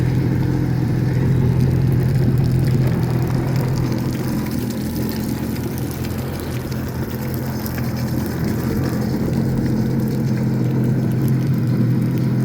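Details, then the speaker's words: 2004 Honda F-12X turbo jet ski with about 210 hours, running out of the water on a hose after a jet pump rebuild that cured earlier clanging: smooth, even drone with no clanging or rubbing, plus a ladder rattle; healthy. "Wow. Listen to how nice that sounds. Real quiet. That's my ladder rattling."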